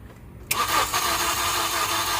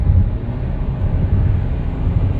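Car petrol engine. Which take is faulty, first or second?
first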